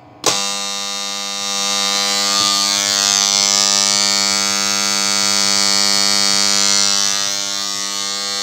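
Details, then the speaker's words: 12 V contactor on a new power supply, just energised: snaps in, then a loud steady electrical buzz with a harsh rasping edge. Quieter than earlier, but it is a noisy contactor that needs cleaning. "got power to it now but it's quite noisy it's less noise than it was earlier but listen to this"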